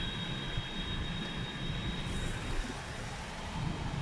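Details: New Skoda Rapid: thin steady high-pitched whistle near the driver's door window over the soft rush of the climate fan; sound changes as windows open slightly, cause being traced.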